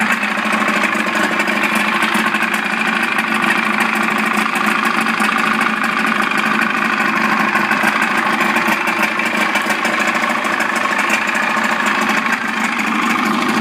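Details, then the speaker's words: Old Evinrude 55 outboard idling in neutral in a container of water after throttle cable adjustment: steady, even idle burble with no misses or rattles; normal idle. "So every time the engine's in the water and you hear the idle and it's idling, that's okay."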